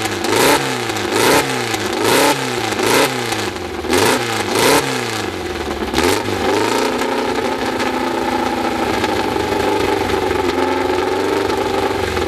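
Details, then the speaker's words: VW Beetle-type air-cooled flat-four, 2054 cc, freshly assembled engine, first start on twin carburettors: a few sharp throttle blips, then a smooth, steady idle with no knocks or misses; runs well first time. "bom a gente deixando agora é a primeira impressão de lado que o barulho é eu acho que o motor funciona muito bem logo de primeira"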